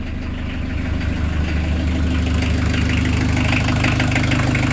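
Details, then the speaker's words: Peugeot 205 turbodiesel with a forged, rebuilt engine and PES injection pump, after a cold start at about 1200 km of break-in: steady idle with a light, even clatter over a low drone, normal for a cold engine. "ah, ça claque un peu parce que c'est froid, c'est normal."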